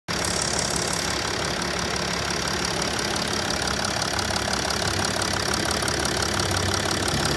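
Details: 2009 Mercedes GL320 BlueTec, OM642 diesel, 168k miles, hot idle, oil cap blow-by test: steady hissy rush and soft puffing at the open filler. Blow-by present; owner unsure whether it is excessive or normal.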